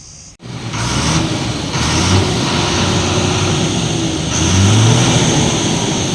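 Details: Vehicle engine on the road after a pipe was refitted following an overheating problem: steady, even drone with road noise and no tapping or rattle; now quiet, normal running.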